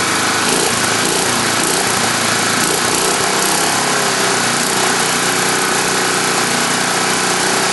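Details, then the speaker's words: Tecumseh single-cylinder engine with the air cleaner cover off: a steady, buzzy high-revving drone with no misfire. The crankcase breather pumps gray sludge, oil and vapors, with some smoke puffing and Marvel Mystery Oil in the fuel. Possible blow-by is suspected. "I'm going to show you that space where breathe air is coming from the crankcase and you can see where it looks like it's pumping up gray sludge and you also see a lot of vapors coming off of it"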